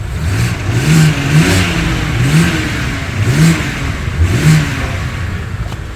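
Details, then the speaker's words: BMW E90 325i automatic saloon, first start after ECU replacement fixed a non-running engine: revs climb and fall cleanly about once a second, smooth and even with no misfire; healthy, slight oil burning possible from PCV. "very nice very nice there's not even misfiring man"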